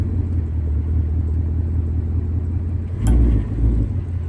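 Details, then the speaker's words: 2024 Ford Mustang GT at 3,000 miles: low engine rumble, then one distinct click/clunk from the right rear as drive or reverse takes up under power; owner suspects axle or wheel bearing, unconfirmed, noise growing louder and now repeatable. "I put it back into drive apply power load it up I'll hear a click again listen to this video clip I got it on camera and to me it sounds like an axle or a wheel bearing"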